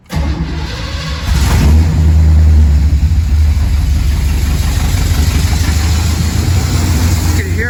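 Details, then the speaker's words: 1969 Pontiac Firebird with Holley Sniper EFI, which suddenly lost cylinders while driving; ignition checked fine: engine catches into an uneven, lumpy idle with a stumbling beat, missing on a couple of cylinders; one injector found not firing (dead injector). "How bad that's running. It's definitely missing on a couple cylinders. What I discovered is that injector right there. See all these ones firing, but that one is not."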